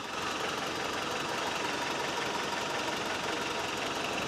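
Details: Toyota 22RE rebuilt four-cylinder in truck, about 25 miles after rebuild, no leaks: even idle with light regular valvetrain tick, steady speed, no misfire or knock; idling normally.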